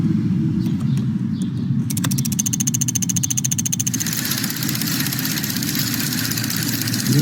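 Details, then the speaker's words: Engine at idle with fast, light, even ticking over a low rumble; example of normal under-hood ticking such as fuel injectors opening and closing, relays switching or evap solenoids activating, not valvetrain. "there are many ticking sounds under the hood that are completely normal for example fuel injectors opening and closing relays turning on and off and sometimes evap solenoids activating"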